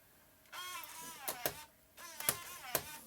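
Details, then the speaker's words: MacBook Pro A1150 optical drive loading a disc: a rough whirring drag and sharp clicks in bursts, nasty-sounding going in, then it seems to spin up fine but spits the disc back out; the optical drive grinds on load. "that sound is it sounds really nasty going in but then once it's in there it it seems like it's spinning up fine but i don't understand why it spits it back out"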